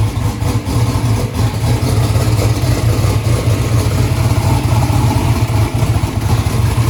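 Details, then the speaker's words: Newly built 427ci turbo small-block Ford (2500hp target) at first start, warming up, 82 psi oil pressure: loud, lumpy V8 idle with an uneven stumbling beat; one cylinder dropping out; data showed number three not sparking. "so numbers saying number three is not sparking what well number two was the problem previously"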